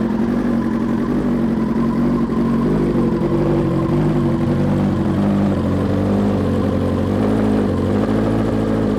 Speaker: And that's a cold start. You can hear it's not starting and stalling at all.